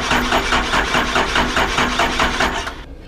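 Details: 1978 Ford Bronco with fuel spraying from the injection lines, kept in a cold garage overnight, battery charged: steady starter churn at about three beats a second that never catches and dies away. Owner suspects air in the system. Cranks but will not start.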